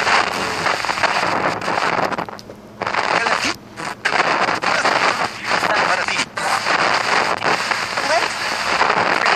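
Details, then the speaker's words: FM tuner being tuned: a loud, irregular crackling hiss with sudden dropouts as the dial moves, caused by oxidized, green-corroded contacts in the tuning condenser that intermittently lose ground; cleaning is the fix. "so that scary noise that you're hearing is due to oxidation of the tuning contacts inside of the condenser assembly of a tuner"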